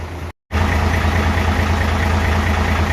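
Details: Hino FG8J with 6-cylinder J08E diesel, 600,000 km and never valve-adjusted, idling before adjustment, heard at the front: loose clattery ticking over the rumble. Intake lash measured up to 0.50 mm (spec 0.30), exhaust up to 0.60 mm (spec 0.45).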